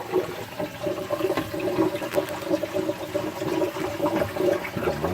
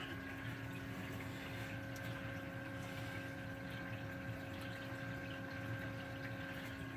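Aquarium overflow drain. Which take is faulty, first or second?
first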